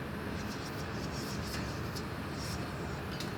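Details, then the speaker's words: Turbo Silverado with On3 turbo kit on E85 under dyno load: loud engine with a hiss on top and sharp puffs; leaking wastegate diaphragm letting boost drop from about 13 to 11 psi. "but Wastegate diaphragm's leaking. That's probably why the boost is dropping."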